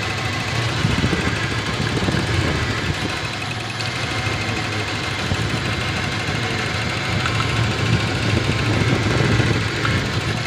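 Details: Toyota 7K engine idling unevenly with stumbles, irregular beats and dropouts instead of a smooth run: misfiring at idle.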